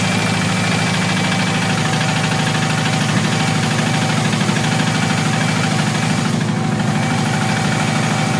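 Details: Subaru Impreza naturally aspirated engine, possibly overboosted during hard driving: steady idle with a regular deep knock about three times a second from low in the engine; suspected rod knock or bent rod, not confirmed.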